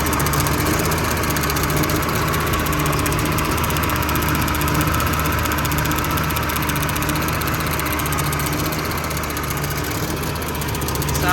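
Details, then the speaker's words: Generac 50kW three-phase propane generator, auction unit, running with hose fed straight to regulator, warming up: light quick ticking over uneven idle, suspected lifter or valve train, exact source unconfirmed. "we got a lifter or something to happen in the valve train you can kind of hear"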